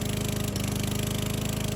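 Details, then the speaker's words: Yard Works mower, roadside find, cleaned, just started cold after priming more than the recommended three times: fast, slightly uneven thumping with occasional stumble; sputtery until warm, ran perfectly after about 5 minutes. "Sounding a little sputtery. So again, should just have a few primes. It recommends 3. I did a few more. It does start to full. You can hear it is sputtering a little bit, which I found after running for 5 minutes."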